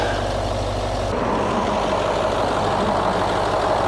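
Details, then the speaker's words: Crash-damaged Range Rover L322 bought from Copart, first check: smooth, steady idle with even low rumble, no knocks, ticks or misses; engine sounds sweet; normal idle. "So the engine sounds sweet as a nut."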